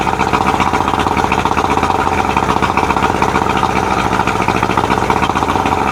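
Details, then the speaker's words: 1999 Johnson 70 hp two-stroke outboard, air box still off, after turning the carb air mixture screws out to 3.5 turns. Steady, even two-stroke buzz with no misses, idling nicely with no fuel leaks. Normal running after adjustment. "that sounds pretty good. Let's try it again. All right, I got no fuel leaks. We're idling nice, and she sounds fantastic."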